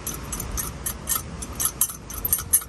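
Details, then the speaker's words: MSR XGK white gas stove, still hot after use, turned upside down and shaken: irregular light metallic clicks as the shaker needle inside the jet waggles and knocks carbon out of the nozzle, as it should. "and what that is is inside this stove inside that jet you cannot see it there but there's a little nozzle in there and there is a needle that sits up there and it waggles and it knocks the carbon out"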